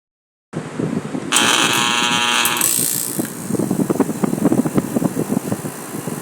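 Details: Samsung 12000 BTU air conditioner compressor at startup: loud harsh buzzing hum strains for about a second before it catches, then runs with uneven knocking; hard-start fault, though the unit still cools afterward.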